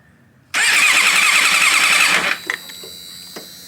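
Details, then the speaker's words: Motorcycle four-cylinder engine cranked for the first time during a compression test, spark plugs removed: quick, steady starter whir with even compression beats for about two seconds, no dragging; about 90 on one cylinder, readings consistent; normal cranking. "get the first one out and we're gonna crank it over for the very first time guys"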